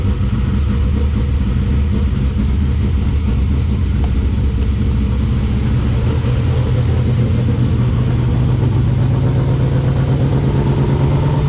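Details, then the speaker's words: 3rd gen Camaro with new Hooker Blackheart dual exhaust, Wix filter and fresh oil, first start after a long while: deep lumpy but even idle, loud steady exhaust, no knocks or ticks; healthy running. "Okay, we're getting ready to fire it up and see what the sounds like."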